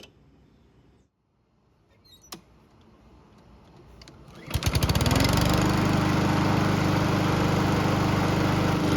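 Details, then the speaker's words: Honda lawn mower after an engine swap (original crankshaft badly damaged), with the recoil starter cleaned, lubricated and reinstalled: fires on a pull and holds a fast, even putter at steady speed; starts and runs great. "The good news is that it starts and runs great, but the bad news is that we're still not done with the project just yet."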